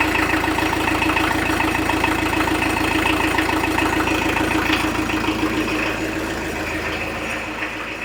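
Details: 1986 VW T25 1.6 JX turbodiesel, stored since 2017, first start after earth cable, starter fuse, fresh diesel and bleeding injector: steady even diesel clatter at idle, about three and a half beats a second, settling smoothly; healthy old diesel, fairly loud.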